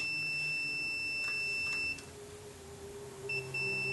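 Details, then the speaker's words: 1995 Chevy Tahoe 5.7, no-start and no-fuel troubleshooting. The oil pressure switch behind the distributor is tested with a multimeter: the continuity beep shows its contacts closing at about 3–4 PSI on the gauge, so the switch works. "the gauge is just starting to come off the pin not quite five as you see right there was about 4 PSI and the contacts closed so this switch is working"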